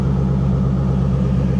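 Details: 1984 GMC/Chevy G20 conversion van, abandoned for years and a suspected flood car, idling with A/C on: a steady, even hum with a smooth low drone and no knocks or misses; runs really well and went into gear, healthy idle.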